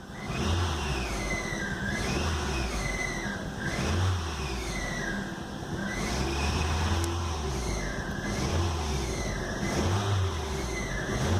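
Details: Fiat Linea Dualogic being revved repeatedly: a whirring, rumbling tone that rises and falls with each rev. The flywheel was later found bluish and warped by 0.06 mm.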